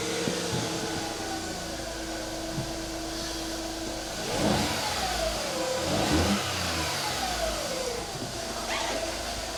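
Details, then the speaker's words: 2008 VW Fox 1.2 petrol three-cylinder after new spark plugs and refitted coils: even idle, then clean throttle blips rising and settling without hesitation; smooth, healthy normal running. "sounds good. As smooth as a 3-cylinder can be."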